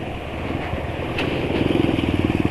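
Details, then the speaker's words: Motorcycle engine at about 72 km since oil change, rough even from setting off: harsh gravelly engine note with rapid uneven pulse building as it revs; owner finds it too rough, cause not confirmed. "menurut penulis suaranya terlalu kasar ya cukup pasar ya"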